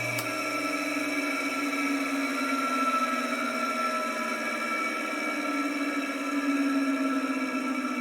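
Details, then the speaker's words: Vintage ILGJET 24-inch type Q air circulator fan motor, run with the blade removed on its original dry 203PP (6203) bearings before replacement. A steady hum carries a dry, rough, gritty whine. Worn, dry motor bearings, also audible at switch-off. "So here's another sound clip of the ILGJET motor, this time with the blade removed. You'll get to hear how bad these bearings sound."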